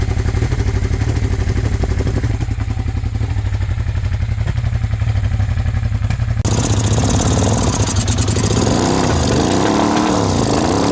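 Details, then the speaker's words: Long-abandoned first-gen Suzuki SV650S V-twin, warming up after a start with one carburetor flooding: rapid, uneven ticking puff over the idle that grows with revs; a big exhaust leak. "Yeah, it's got heat now. Big exhaust leak."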